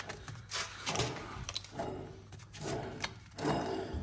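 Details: Ford front wheel hub turned by hand, caliper removed: rough, gritty rasping in uneven bursts from a worn-out front wheel bearing, replaced with new assembly.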